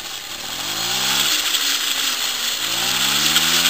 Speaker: and if you can hear it running it's not your speakers this bike actually is that quiet the quietest mopeds don't ever say I have to Thomas's over there now way louder than this